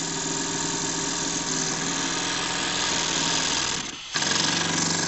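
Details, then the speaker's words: JLS 13-2 twin-cylinder model steam engine run on compressed air at very low pressure, after a loose screw that had jammed it was fixed: rapid, even chuffing with one brief dip, then back to speed; normal running. "donc elle tourne superbement à l'air à des pressions très faibles"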